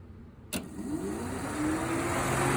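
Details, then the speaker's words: 1951 Buick Turbo LS build: electric cooling fan wired through a 30A circuit breaker and 80A relay, tested by grounding the relay. A click, then a whir climbing steadily in pitch as the fan spins up. Normal fan operation. "And if I ground this, the fan should come on."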